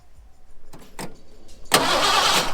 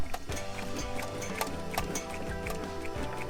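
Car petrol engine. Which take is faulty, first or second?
second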